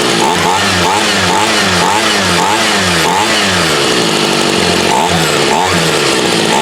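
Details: Homelite UT33650A 26cc two-stroke trimmer running on a Ryobi carburetor after bumping the idle up: steady buzzing with rhythmic rev swells and high-pitched rasp; runs and holds speed, but carburetor still needs adjusting to suit this trimmer.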